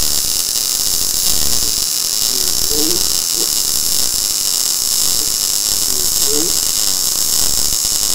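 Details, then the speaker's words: Blue Demon BLUEARC 140MSI 110V 140A MIG inverter, synergic automatic voltage, more shielding gas and higher wire speed, welding very thin steel: steady even frying sizzle, no popping; smooth well-tuned arc, no burn-through. "here's here's what we're getting here I mean it's welding this really thin steel or really nice"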